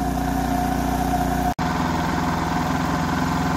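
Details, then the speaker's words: 2006 Kipor KGE3000TI inverter generator, small single-cylinder, after carburetor cleanout for no-start and oil change; steady even drone with a brief dropout midway, then smooth again: normal running. "looks like this machine is good to go after an oil change of course and no adverse issues with the charging system still running at about 13 1/ 12 volts"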